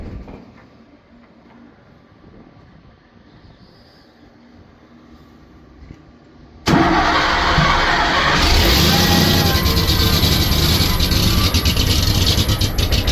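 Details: Oil field compressor engine catches after a quiet lull and settles into an uneven, lumpy, loping idle; rough idle, cause unknown.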